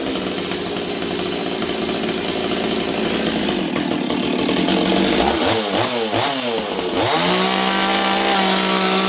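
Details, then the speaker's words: Stihl 026 chainsaw with bar and chain, warm, carb deliberately set rich after it had been leaning out badly: it burbles and stutters as revs swing, then drones roughly. Rich four-stroking. "okay you can see this thing's a little Rich right now I set up the carb so that it would really blubber cuz I wanted to hear it blubber"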